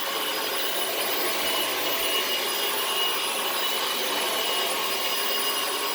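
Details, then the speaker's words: Dyson DC18 Slim All Floors vacuum, made December 2006: steady, even high-pitched rush without surging or grinding. Running normally after the reset button was pressed, which fixed the brush not spinning. "it probably just needs to be reached and thankfully I was right so it works beautifully again"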